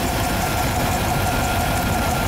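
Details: 1999 Chevy C3500 5.7L V8, brand-new replacement engine, 245,000 miles, hot idle in parking lot: lumpy beat with occasional stumble; cylinder 6 lean misfire seen on scope (higher spark tail); tightening bolts to check for change.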